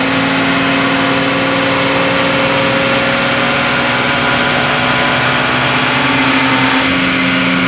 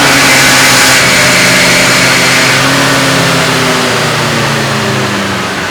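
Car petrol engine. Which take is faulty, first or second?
first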